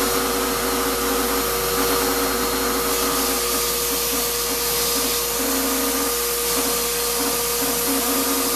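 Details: Shop-Vac vacuuming coarse grit from a rock tumbler: steady high whine, rough gritty edge, pulsing hum underneath; owner says dust previously pulled through the motor before adding a dust separator pretty much destroyed it. Grinding motor whine.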